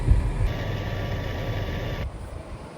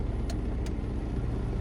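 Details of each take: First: 2011 Toyota Sienna after blower motor replacement, AC on: soft, steady rush of air from the cabin blower, smooth and even, with no more of the earlier rumbling noise. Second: 2011 Toyota Sienna with front AC fan on, still blowing cold air: a steady, heavy low rumble from the blower under the dash that continues at higher speed; blower motor out of balance, replaced.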